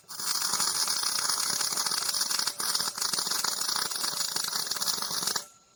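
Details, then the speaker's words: MIG welding on a trailer main frame repair, with the welder turned up to 54. A nice, steady, even frying crackle lasts about five seconds and then cuts off cleanly: a stable arc, and the weld looks good. "Oh, uh, aigh, this is on the weld *nice, steady, even frying sounds* I don't think that looks too bad"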